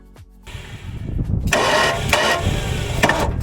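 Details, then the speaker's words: Junkyard classic Ford Mustang, accident-damaged, cranked on the starter: uneven turning with heavy irregular thumps and a big knock while oil pours from under the engine; a cracked block is suspected, unconfirmed. "so we think of the block has a crack in it or something so we decided it sounds horrible it sounds like it's got a big knoc"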